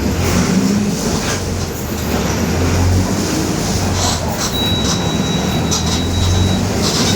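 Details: 2021 Marcopolo Torino S bus on Mercedes-Benz OF-1721 BlueTec 5 chassis, urban route, under way: low steady drone beneath road noise and body rattle, holding with speed; differential growling.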